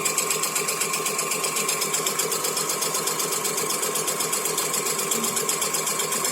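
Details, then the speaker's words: Ceiling fan running with a fast, even rattling chatter about four times a second from a worn bearing, recorded before repair; the fix is to remove the cap and reach the bearing in the winding. "Friends, ఈ సౌండ్ని మనం ఏ విధంగా reduce చేయాలనేది ఈ వీడియోలో మీకు ఇప్పుడు చూపెడతాను friends. So మనం ఈ సౌండ్ తగ్గియాలంటే ఫ్రెండ్స్, ముందుగా మనం ఈ క్యాప్ అనేది రిమూవ్ చేసి వైండింగ్లోకి వెళ్ళిపోవాలి ఫ్రెండ్స్, అంటే బేరింగ్ దగ్గరికి."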